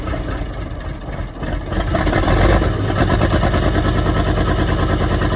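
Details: Track Marshall 90 crawler diesel engine at first start with a cracked engine block: uneven, stumbling beat pointing to a misfire.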